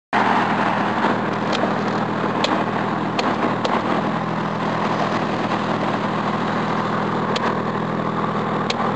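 Steady idle hum with an occasional uneven tick or stumble breaking the rhythm; sounds like a possible misfire, cause unknown.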